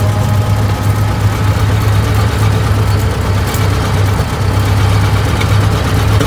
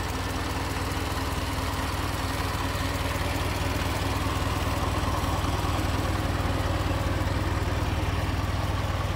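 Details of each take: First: 1920 Ford Model T barn find, sat about 10 years, first start after carburetor cleaning and points work, hand-choked: low, uneven lopsided idle on only one or two cylinders, timing being adjusted; misfire from stuck valves, low compression on one cylinder. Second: 1920 Ford Model T barn find, sat about 10 years, after teardown and reassembly: steady, even low chuffing beat at slow idle with no knocks or misses; normal idle.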